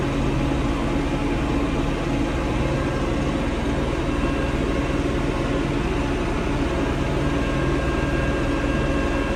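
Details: Diesel tractor that went into limp mode, capped at 1500 rpm instead of 2500, and stalled: loud drone with an uneven, lumpy beat. Rough running from water and sludge in the fuel, found in strainer and water separator.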